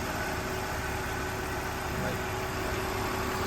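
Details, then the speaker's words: BMW E46 325Ci manual, inline-six, sat for a year or two: starts right up, quiet steady idle with soft even hum, no stumble, tick or hunting; normal smooth idle. "it is insane how smooth this engine is and it's been sitting for like a year or two"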